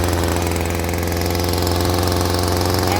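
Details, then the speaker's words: Stihl string trimmer that would not rev and stalled, after carburetor adjustment: two-stroke buzz jumps straight up on trigger and holds a steady high pitch without bogging; idle slightly fast but fixed and running clean. "As soon as I hit the trigger now, it jumps right up where it's supposed to go. There's no bogging at low idle."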